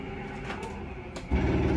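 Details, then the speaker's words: Forest River Surveyor Legend 240BHLE power slide-out extending: steady motor hum, then louder, faster clicking as the slide reaches full travel; normal end-of-travel sound. "did you hear that clicking that means that we're uh at the max distance and so we're good"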